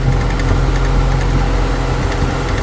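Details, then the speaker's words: Infiniti M45 VK45DE at idle: heavy steady rumble with a faint uneven clatter that stops when pressing the belt pulley and returns in drive or reverse; owner unsure whether pulley or tensioner is the cause. "it's just completely gone away once I put pressure on that pulley right there so I'm not sure if it's the pulley itself or it's the tension or making noise"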